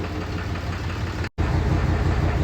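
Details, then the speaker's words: 2011 Dodge Ram 6.7L Cummins diesel idling with a deep, uneven clattering knock from a misfire. It blows white smoke when revved and shakes more in the morning; disabling injector 1 with a scanner made no change. "a hacer este diagnóstico a ver la falla del motor el cliente dice que tira bastante humo blanco cuando lo acelere y en la mañana tiembla más"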